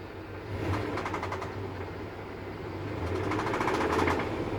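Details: 2003 Dodge 5.7 Hemi at idle: bursts of quick ticking knocks, about four a second, that come and go over a quiet idle; owner unsure whether rod or lifter, says past rod knock was constant, unlike this.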